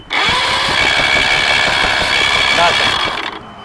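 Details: Mariner 150 outboard with water found in it and cloudy fuel, spark plugs pulled for compression test: rapid cranking with uneven light puffs; low compression, problem on number four cylinder.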